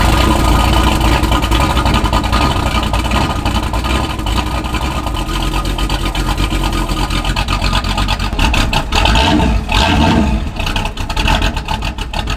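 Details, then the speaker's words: Classic Jaguar with Chevy V8 swap, ~420 hp, after cam swap, Holley carburetor electric choke cap adjusted a few notches for hard cold starts, recorded from tripod: loud lumpy V8 settling into steady fast idle with throttle blips, no knocks or misses; healthy cold start. "all right it's time for a cold start I'm going to set you guys up on a tripod so you can hear"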